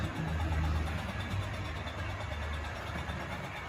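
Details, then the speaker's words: Tri-ang Hornby R.259NS Britannia model locomotive fitted with an improved 5-pole motor, running at express speed: a smooth, steady low rumble with a soft, rapid chuff from the tender; running healthy. "Starting to speed up a bit now. Let's get up to some more express speed. I honestly think that's completely different. You can really hear the chuffing from that tender."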